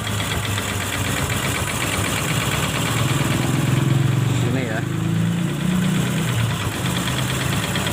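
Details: Supra X Helm In single-cylinder motorcycle, clutch side removed, exhaust refitted, milky water-contaminated oil: idling with coarse, uneven rattle rising with revs; clutch rubber suspected but not loose; rough engine noise, cause unconfirmed.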